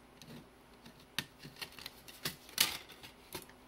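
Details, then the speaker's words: AppleCD 150 external SCSI CD-ROM after replacing leaky capacitors, reading a CD-R: quiet drive with irregular sharp ticks and clicks as the head hunts over a badly scratched area; servo seeking on a scratched disc. "you can hear the servo noise where it hits a uh part of the disc that's hard to read"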